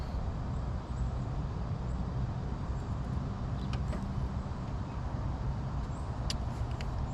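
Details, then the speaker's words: 1996 Chevy Lumina power steering pump, noisy before, after adding Bar's Leak power steering repair: steady low engine rumble with no whine or groan while turning the wheel; steering now quiet. "I should be about it I don't even hear it making anymore for you at least not when I turn the steering wheel"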